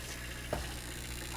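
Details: Washing machine not draining, no error code on the board: drain pump gives a low, steady electrical buzz but moves no water, obstructed by debris; pump removed to clear it.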